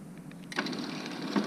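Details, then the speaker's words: Used garage door opener whose rail is being lengthened for a 12 ft door: the motor kicks in with a rough, grating whirr and a harsh catch partway through; owner suspects something inside the drive is going. "it should work i really don't like that i am concerned about that noise"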